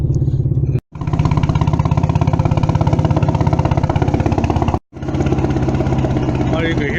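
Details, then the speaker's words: Car acting up after dealer warranty engine update wiped the owner's tune, at the shop: loud, blatty exhaust pulsing about three times a second, uneven lumpy idle; rough running, cause unclear. "can hear it's actually real loud."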